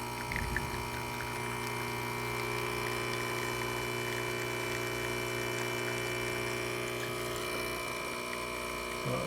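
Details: Rocket espresso machine at its initial test before service, pulling a shot at nine bars: a steady, even pump hum with a constant tone and no surging or rattle. Normal pump operation.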